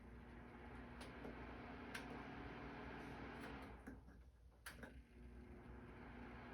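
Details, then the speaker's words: Trustech portable 750W/1500W ceramic space heater with analog knobs, just plugged in and switched through fan, heat 1 and heat 2: steady airy whoosh over a low even hum with a couple of knob clicks; fan running normally. "So that's fan. Heat 1, heat 2. Let it run a second, see how it powers up."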